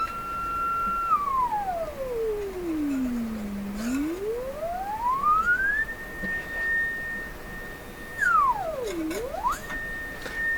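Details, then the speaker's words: Electrohome Acoustech E00-411 35 W two-way tuned-port speaker with new replacement tweeter: signal-generator sine tone glides down, climbs high, dips and rises again without buzz or rattle; normal tweeter sweep. "My nose is here, and I can hear the sound move as I raise the frequency up, just towards the end there."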